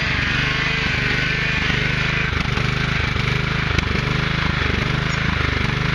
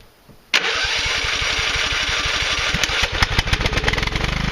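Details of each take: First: Husqvarna YTH 150 (AYP) yard tractor after carburetor cleaning and new fuel filter and lines: an even, steady low thumping at about 3.5 beats a second with no stumbling or surging; normal running. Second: 1997 Husqvarna YTH 150 lawn tractor engine on starter fluid: catches abruptly after cranking and runs ragged and uneven as the spray burns off; carburetor suspected clogged, not confirmed.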